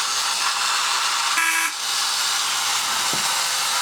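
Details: Repaired 1950s tin Robot Bulldozer toy on 2 D-cell batteries with bump-and-go drive: a buzzy, high whir from the small motor runs evenly, with one short reedy horn beep midway; running properly.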